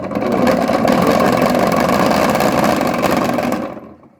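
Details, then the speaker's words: Lebed activator-type washing machine running dry without water after its bushing was replaced: a steady, even mid-pitched whirr with a regular hum and no knocking, then it coasts down; normal running. "вот смотрите тут конечно тоже нормально"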